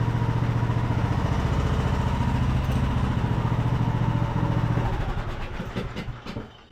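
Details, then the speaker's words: Craftsman YT3000 riding mower, abandoned about 4–5 years, high speed with upper shroud off; single runs fast with uneven hunting beat rising and sagging before winding down; surging, owner suspects carburetor main jet not clean enough, plans to reclean. "well that's a bummer we definitely have some surging going on so probably our main jet on here is not clean enough"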